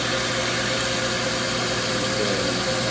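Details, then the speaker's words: Viking/Asko dishwasher after its fill valve was replaced. A steady, uninterrupted hiss of water rushing in over a low electrical hum; the new valve fills normally. "You can hear it filling now, so the new one's actually letting new water in."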